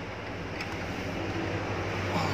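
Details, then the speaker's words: Mitsubishi 6D14 diesel (FM truck) runs away at startup, holding a steady high roar at maximum rpm that never drops back; governor rpm setting was set far too high to compensate for worn injection pump plungers, throttle return slow. "pada akhirnya seperti ini mobil langsung berputar di putaran tertingginya dan tidak bisa kembali lagi kecuali ditarik tuas jok atau terus pembunuhnya"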